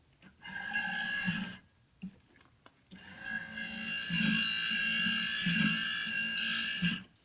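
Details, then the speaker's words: Cadillac power radio antenna: thin high whirring motor runs on and on by itself, straining against a stuck, worn mast that won't raise or lower; motor must be unplugged to stop. "to keep this one close otherwise just keeps going and going making that noise by itself"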